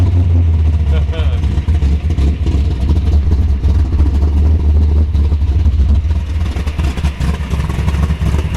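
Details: 1932 Ford Roadster ZL-1 Alloway hot rod, 942 miles, warm after being driven in: deep, steady V8 burble at idle with even firing and no knocks or misses, volts just over 13, temperature 175, oil pressure about 80; normal idle.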